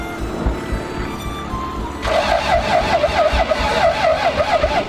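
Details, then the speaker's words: Toyota 7M-GTE in an MA70 build, first start attempt with turbo bypassed and spark confirmed: slow, uneven cranking thumps under music with no firing; cranks but won't start, missing cold start injector suspected. "oh I know what it is I bet I don't have the coold star injector no no no no no no no no no no no no no so it struggles to start without the coold start injector"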